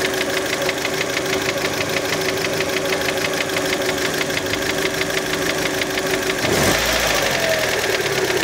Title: Стук в двигателе Fiat Panda (прогретый с прогазовкой)